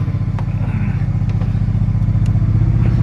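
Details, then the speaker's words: Mazda FD RX-7 rotary, first start after plugs were fouled with fuel and cleaned: uneven, lumpy, stumbling idle with missed puffs and much smoke; rough idle misfire, owner suspects flooding. "sounds like it's misfiring a bit though so and it's blowing a fair bit of smoke probably because it's a little bit flooded"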